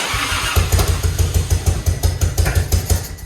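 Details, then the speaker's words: Grandpa's Harley-Davidson, off the road over 15 years, running during restoration: lumpy uneven low thumping about three beats a second with irregular exhaust pops as it dies off; owner says it needs fixing, cause unclear. "Listen to it fart again. Yeah, we definitely got to fix that."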